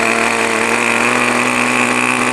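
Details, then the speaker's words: New O.S. 40 FP glow engine on a model airplane during ground break-in, starter removed, needle valve leaned slightly: RPM picks up into a steady, high, unbroken buzzing scream. Normal running at high speed. "We'll lean it slightly, and you'll hear it pick up a few RPM."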